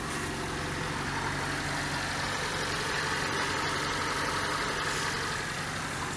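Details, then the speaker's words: 1987 Fiat Panda 4x4 Sisley, ex-farm car, at idle: steady, even, very quiet idle with no knocks, misses or rattles; engine sounds smooth and healthy. "I mean there's no problems with it at all but this just sounds like it works properly oh you can do it right it genuinely runs listen to how quiet it is it's just barely on"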